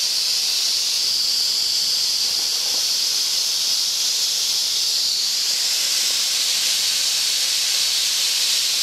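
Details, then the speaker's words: Boiler safety valve being set on steam, popping off with the injector running: loud continuous high-pitched hiss of steam venting steadily; safety valve lifted and blowing off. "There She Goes got Turn It On Pop all beautiful it pops all beautifully over the injector"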